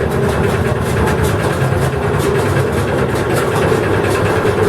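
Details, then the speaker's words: Dutch barge tjalk auxiliary diesel left running to charge the compressed-air bottle to about 12 bar: steady even chug under constant compressor load, no knocks or misses; healthy. "Normalement, on laisse tourner un petit peu que ça charge en air."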